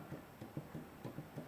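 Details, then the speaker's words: 1940s John Deere LA two-cylinder engine during teardown: soft, dull clunks about every quarter second as the crankshaft is rocked, showing excess play in the worn babbitt main bearings. "that's how much play there is in those bearings."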